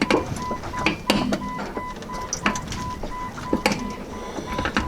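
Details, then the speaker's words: Jeep Cherokee XJ, car jacked up, front wheel rocked back and forth by hand: sharp metallic clicks from a worn front axle stub u-joint on the one side, axle shaft visibly moving up and down; u-joints and hub bearing being replaced. "with the car jacked up i'm gonna have stevo turn the wheel a little bit and you'll hear a click go the other way back again"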